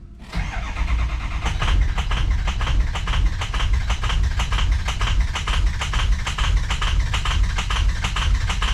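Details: 2003 Ford F350 6.0 PowerStroke diesel after running out of fuel and refilling: long, steady cranking with uneven thumps as a cylinder or two catch while the completely empty fuel rail refills.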